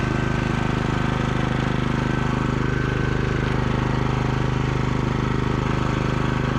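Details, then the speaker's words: Cub Cadet 3X MAX 34-inch 420cc fuel-injected three-stage snow blower running after restart: even quick thump about 140 a minute over a steady low drone, no misses or knocks; normal running. "So far I like it. It seems to start up really nicely."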